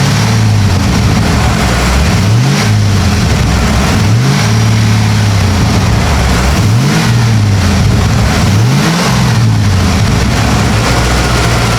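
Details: 1995 Ford F250 (OBS) at its first fire-up: repeated clean blips, revs rising and falling smoothly back to a steady idle with no knocks or misses; oil burning off the exhaust manifolds, good oil pressure; healthy engine.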